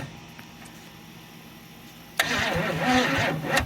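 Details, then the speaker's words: 1968 Camaro 327 V8 (bored 30 over, ~331) sitting 15+ years, timing near 12 degrees, borrowed battery; labored uneven cranking ~3 turns a second, no start; suspected drained battery or too much advance, jump planned. "sounds pretty drained to be it's either fighting a whole lot of Advance or it's real tired"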